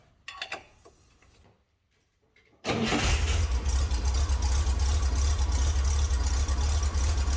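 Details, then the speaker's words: 1963 Chevrolet Corvair started after oil change, running until oil pressure/temperature light goes off: brief crank catches at once, steady even low idle, no knocks or misses; healthy start. "Okay, now that I've run it and the temperature and pressure light has gone off, I'm going to check the oil again, and I'll have to add what's left."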